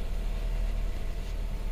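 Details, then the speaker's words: 2018 Chevrolet Equinox 1.5L with a replacement engine, a crank-no-start fixed by refitting a loose connector: the engine now starts and holds a steady, even idle with no ticking or misses. "let's see if it'll start oops there we go now it starts there we go"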